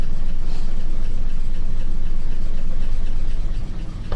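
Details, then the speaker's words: 1967 Ford F250 V8, first start in 30 years after sitting in a field, oil pressure unknown: deep steady idle burble, even beat around four pulses a second, no knocks or misses; runs fine at idle. "this thing just runs runs pretty good runs pretty dang good"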